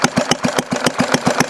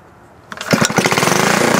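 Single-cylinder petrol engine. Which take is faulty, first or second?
second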